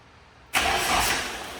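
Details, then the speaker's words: 1992 Nissan 240sx (S13), first start in about two years after an odd tick heard at key-on: brief crank, then it catches right away and settles into an even idle with no odd noises. "I haven't heard this thing run in like 2 years. Oh my God, I'm so excited. It sounds good. Oh, dude. It's running."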